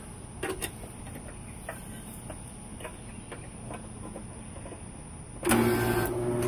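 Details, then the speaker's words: Duplex HVAC condenser compressor, tested before fitting a start capacitor and potential relay: a few quiet clicks, then a loud hum that never spins up, repeating as it retries; the rotor is locked and the compressor is seized. "She tried to turn over. Oh, there it goes again. Let's see what that amp draw is. Is it gonna try again? Yep, that's it. She's rotor's locked. No good. No good. That compressor is locked up."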